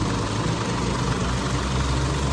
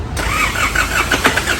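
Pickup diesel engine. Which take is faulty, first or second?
second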